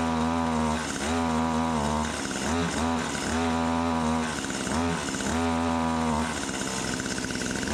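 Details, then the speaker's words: Stihl HS80 hedge trimmer, idles fine but falls on its face under throttle, fresh fuel, run position without choke: buzzy two-stroke revs surge and sag unevenly every two seconds at wide open; bogging, runs better on half choke. "But anyway, wide open, it was bogging down."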